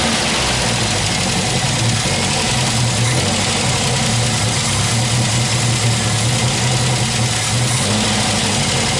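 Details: MGB special engine after tuning, idling. It settles into an even idle with a brief rev, with no knocks or misses, running smoothly.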